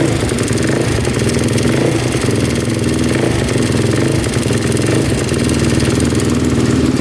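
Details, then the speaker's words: 2005 Honda TRX450R with aftermarket parts, Kibblewhite valves, lightly ported, possibly 13:1 compression: steady idle with light, fast top-end ticking; valves or cam chain suspected. "but you can hear the ticking in the top end so we're gonna do is just investigate that and just see if we can figure out why it's doing that"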